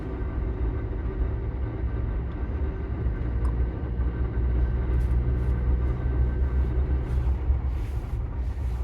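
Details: 2021 Ford Bronco manual transmission sitting still in C, 1st, 2nd or neutral: a low, rough, uneven grinding rumble that goes away when the clutch pedal is depressed. The cause is not yet determined.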